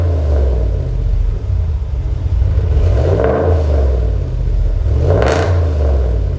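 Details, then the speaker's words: 2019 Ram 1500 Hemi V8 after a Solo Performance muffler delete: deep, loud burble with two quick revs that climb and fall back, slight rasp on top; healthy straight-pipe exhaust note. "there you guys have it it does have a little bit RESP to it but like I said if I don't like the sound I can always go ahead and put a little muffler there and and make it sound very nice"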